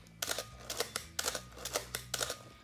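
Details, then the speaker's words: Canon AE-1 Program/A1 after the mirror-box squeak fix with a few drops of oil: three crisp shutter releases, each a quick clack-clack of mirror and shutter, with no squeal afterward. Normal shutter release. "it's fixed and this is it it's fixed but this camera has other issues like uh the light seals they're broken down so we're gonna fix it in another video but the squeal now is gone"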